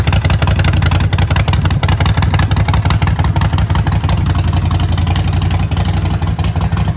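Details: Neglected 2008 Harley-Davidson Sportster, primary fluid not changed: deep loping V-twin beat with a lumpy cam rhythm, strong and steady, no knocks; runs really good with some power.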